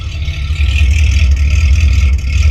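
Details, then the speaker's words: 1972 Rover P6 3500 V8 automatic, a barn find, running without its rear silencer: a deep, loud, lumpy V8 rumble, far louder than normal. The original back box had a hole and was being replaced. "yeah I thought about straight piping it from there to the box but yeah you need that back month later that is loud"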